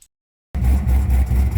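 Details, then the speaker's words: Procharged LS-swapped BMW after failing at Sick Week, restarted with oil pressure: deep, even knock about five times a second over a rough idle, seemingly from the passenger side; suspected bottom-end damage. "It's got oil pressure, but it's definitely still making a noise. Sounding like it's probably bottom end."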